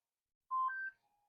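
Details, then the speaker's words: Minelab GPX4000 metal detector, reassembled during a variable-frequency and lower-noise front-end modification, with a nearly flat battery: short two-note power-on chime, then a faint thin tone. This is the first low-battery warning. "and first of all there's your display and you listen the first low battery warning indication"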